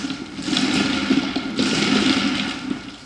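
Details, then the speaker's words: Wooden flat thrust bearing running on glass marbles sold as 9/16 in. but varying from under 9/16 to over 5/8 in.: loud, gritty, rough rumble as the uneven balls roll in the groove. "can hear how noisy that is, how rough it is. The marbles are sold as a 9/16 diameter, but they vary from well under 9/16 to over 5/8."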